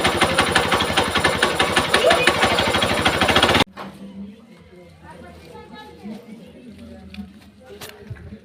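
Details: Hero Xpulse 200 4V BS6 engine: rapid rattling clatter of about three beats a second over the running engine, then it cuts off. Abnormal engine noise of uncertain cause.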